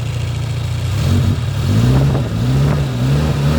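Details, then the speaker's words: 1993 Suzuki Katana GX (Jimny) small petrol engine: steady low idle climbing smoothly when revved and settling back, no knocks or misses; engine sounds smooth and healthy. "Untuk bagian mesin-mesinnya seperti ini, suaranya juga masih halus."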